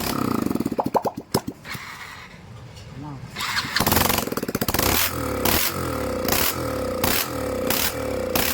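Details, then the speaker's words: BS6 fuel-injected motorcycle engine, throttle body held out and opened by hand so the TPS signals the ECM to add fuel: cranks, catches, settles to steady beat with clean even revs rising and falling; healthy. "तो उसके बाद हम इसका जो calibre है इसे हम एक्सीलेट कर रहे हैं, तो बाइक का जो इंजन का RPM है वो इस तरीके से बढ़ रहा है।"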